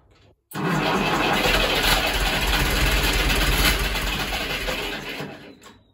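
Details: Ferguson TEF20 diesel tractor that sat over 10 years and would not fire; after bleeding air from the fuel system, long labored cranking that stumbles and catches into a rough run, some exhaust smoke: hard starting from an airlocked fuel system.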